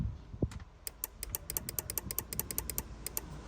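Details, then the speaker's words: Opel Corsa D horn: quick crisp relay clicks under the hood with each press, but no horn tone sounds. Power reaches the horn terminal; a missing ground is suspected. Checking the relay and the steering-wheel airbag. "ось воно клацає но сигнала немає зараз буду дивитися"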